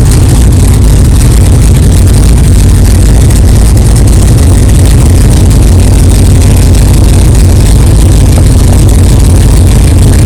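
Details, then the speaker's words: 1964 Chevelle 383 stroker V8 at first fire-up after an 8-month build, not yet warmed up, alternator charging, 11° timing, 63 lb oil pressure: loud, deep, even lope with steady firing, no knocks or clatter; healthy normal idle. "wow thank God it runs it runs good sounds good no problems"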